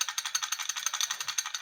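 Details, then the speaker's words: Honda Beat FI eSP eco scooter CVT, engine running: fast metallic jingling "kling kling" rattle from worn clutch plate whose carrier holes are loose and sloppy. "ling kling kling kling Gemerincing gitu teman-teman kalau posisi motor itu lagi diyalakan ya kling kling kling kling kerincing kerincing kerincing gitu ya"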